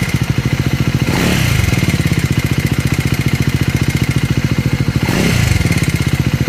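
Rapid, even idle thump from the single with a clattery edge and two brief blips; something sounds off, cause unclear.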